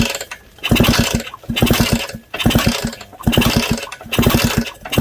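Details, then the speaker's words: Suzuki DS100 with the CDI built into the coil, tested with a coil wired to bypass all the ignition: kicks about once a second give compression puffs with no firing and no spark, from burnt magneto coils. "I got nothing. Okay, so I have nothing."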